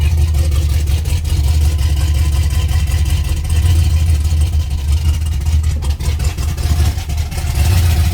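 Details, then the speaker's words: 1989 Ford Mustang Fox body turbo with a new Melling high-volume oil pump, started with the number one spark plug left out after setting distributor timing: a deep, lopey, stumbling idle as one cylinder misfires. "so i had to pull the number one plug to uh set the timing yesterday to stab the distributor there's the wire and there's the plug i cranked it up without putting it back in that's pretty funny"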